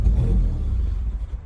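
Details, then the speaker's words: 2004 Mazda RX-8 rotary track car just revived after sitting, makeshift intake manifold, not yet warm, about 98 degrees outside: rough, lumpy idle sags and dies within two seconds; owner suspects intake setup and ECU relearn needed. "Hopefully once the engine warms up, it will allow me to idle. I need to move it to my garage, but it wants to die."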